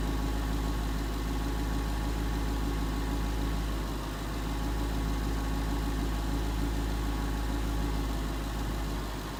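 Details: 2011 Ford Mustang GT 5.0 Coyote V8 with Roush exhaust at first start in an echoey garage, after all eight rod bearings (King CR868SI) and TTY rod bolts were replaced and 5W-30 added: deep, smooth idle, even pulse; earlier tick and knock gone.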